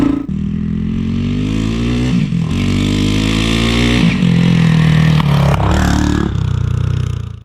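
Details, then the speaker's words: 1988 Honda TRX200SX quad engine swapped into a 1984 Honda ATC200X trike with automatic clutch, on its first ride before the air filter is fitted: single-cylinder revs up cleanly through the gears with brief dips at shifts and no rattles; sounds nice, normal acceleration. "Sounds nice."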